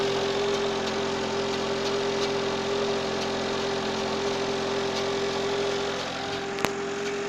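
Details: Citroën AX 1.0 petrol idling evenly with a light, loose rattle ticking about four times a second from the right side of the engine bay; source not yet pinned down.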